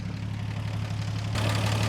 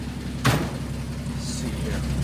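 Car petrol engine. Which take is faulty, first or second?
first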